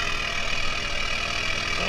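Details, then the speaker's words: BMW E61 530d M57N 235 hp diesel after timing chain repair; particulate filter missing, hence loud raspy exhaust; steady even diesel idle, no knock or misfire, running healthy. "yeah it sounds pretty smooth I believe there will be no issues from now on"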